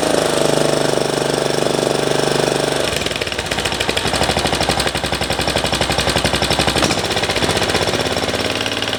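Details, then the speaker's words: MTD ride-on mower single-cylinder engine, restarted after a carburettor rebuild to fix surging, catches after a few seconds of cranking and settles to a quick, steady beat with no hunting once the idle is raised; a normal start. "Bring the idle up a little bit. There we go, a bit better. So I'll let that run"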